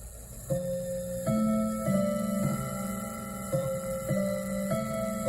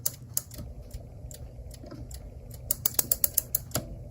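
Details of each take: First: Westminster chime clock, a 25th work-anniversary gift: quarter chime melody rings clearly but no hour gongs follow; strike train dead, apparently broken strike spring, movement too complex to disassemble safely. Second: Clock, after bending the spring back for tension and reassembling: quick run of sharp even clicks, about seven per second, as the click catches; mainspring now holds its wind.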